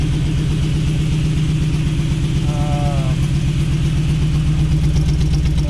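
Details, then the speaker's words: Jeep V8 idling, new true dual exhaust, some backfiring; lumpy idle with steady thump about four per second and stumbling beat; cause was multi-port injection set as throttle body in the tune; serious misfire at idle. "Sounds pretty good, but it's not running good. So I've got a serious miss."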